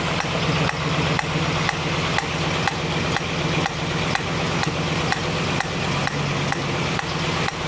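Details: 1965 Mustang GT convertible idling after a Tuff Stuff 7068K 140A one-wire alternator install: sharp, regular tick about twice a second in time with the engine, a new sound that seems to come from the carburetor, source unconfirmed.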